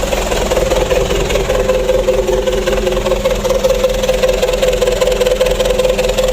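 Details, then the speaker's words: Rebuilt Mitsubishi 4D34 120 PS diesel warming up after assembly, before a 4-day-to-week break-in: steady, even idle with a deep, loud exhaust drone (loud because of the exhaust tip), no knocks or misses; injection pump good, engine healthy. "Alhamdulillah untuk mesin 120 PS nya sudah hidup."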